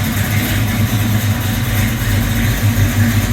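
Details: 1972 Buick Skylark convertible, custom high-performance Buick 455 (TA Performance internals, SP1 intake, under 7000 km), 700R4 overdrive automatic: deep, steady thumping idle with uneven lope about three beats a second; healthy aggressive-cam V8.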